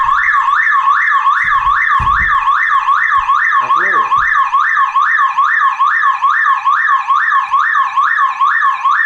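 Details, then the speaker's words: Car alarm tripped when the battery cable was disconnected: a continuous loud warbling siren sweeping up and down about twice a second; the self-powered siren is an anti-theft feature against battery removal. "why we have that kind of team that this our car makes sound when some someone is trying to take this pottery caper away this is this is always safety east way that it is that kind of system it has been made against those car criminals who trie"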